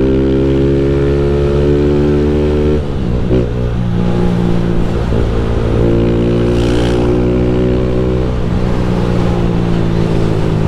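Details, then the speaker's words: Honda Fan 160 motorcycle at 6,000 km idling after valve adjustment: faint light tick on the beat; friend suspects camshaft chain tensioner; unconfirmed. "do tava com um barulhinho meio chato pá aí beleza Fiz regulagem de válvula peguei a moto 6000 km e Mano mandei mensagem para um parceiro meu falei assim ô F se liga esse barulhinho falou assim mano Isso aí é tensor da corrente de comando"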